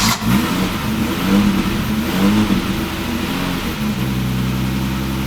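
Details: Alfa Romeo 90, totally cold engine, first start after 22 years standing: catches on the crank after stalling once, revs up and down smoothly with a steady note, good oil pressure; engine starts and revs.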